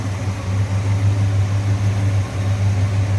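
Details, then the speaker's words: 1966 Ford Fairlane 500 GT convertible, 390 V8 S-code four-barrel, heard at open engine bay; steady even idle burble, no ticks or misfires; described as smooth running, sounds good. "also sounds good a little strange noise with just a smooth running engine again 390 that's what this car would have came with four barrel on it"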